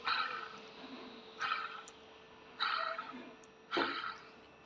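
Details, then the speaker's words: An original water pump, removed and spun by hand, gives four short raspy squeaks: the bearing has failed. It may have caused a squeaky belt noise heard with the engine running; the pump is being replaced. "Devir daimini değiştireceğim. Devir daimi rulmanı bozulmuş. Bu da kayışta herhangi bir ses yapabilir."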